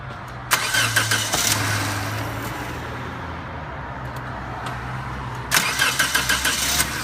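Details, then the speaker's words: 2003 Toyota Corolla with a starter replaced elsewhere, after a starter wire was reseated: two start bursts where the engine fires, runs briefly and unevenly, then shuts itself off. It stalls and won't idle. "now let's see what it does so just starting and then just shutting itself back"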